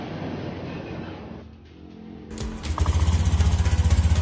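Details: Honda All New Beat FI 2020 scooter after repair of an intermittent rattle at the magneto fan on starting, caused by a small stone; starter catches and the engine settles into an even steady putter, about four beats a second, no rattle.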